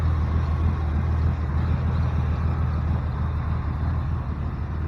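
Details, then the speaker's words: 1988 Chevrolet S10 with a new engine and TBI, first run: steady low idle with a tinny rattle like aluminum cans and a weak exhaust puff; the original catalytic converter is suspected of being blocked, unconfirmed. "sounds like a bunch of aluminum cans and doesn't really be it's not Puff out exhaust like it should"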